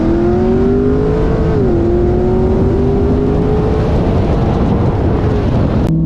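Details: Engine after fixing a misfire with new MSD spark plug wires, data-log run: strong, smooth pull with a clean climbing engine note and no stumbles or popping; normal acceleration.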